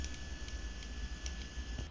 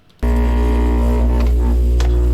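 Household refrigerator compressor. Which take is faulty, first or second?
second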